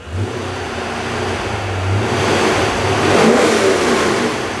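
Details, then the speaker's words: Supercharged C5 Corvette that previously had a bad knocking noise, revved for first time: strong, clean rise and fall in pitch with no rattle or knock; healthy revving. "that sounds good now that's what a motor is supposed to sound like oh my God that sounds better than I expected it to sound"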